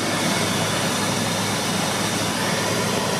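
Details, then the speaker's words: Jeep WJ Grand Cherokee with EVAP leak codes, cold start: steady cold idle under a loud roaring fan with no clicking from the purge valve; normal cold start, clicking expected only once warmed up. "But it should not be clicking on a cold start. So, let's go ahead and cut to the cold start then to make sure it's not clicking."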